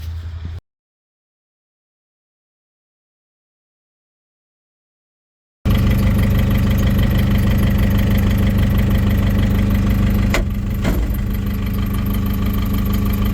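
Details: Gradall diesel that broke down in -8° weather, after cranking with all injectors fired: after a pause it settles into a steady, even idle clatter with no misses, running properly in the cold.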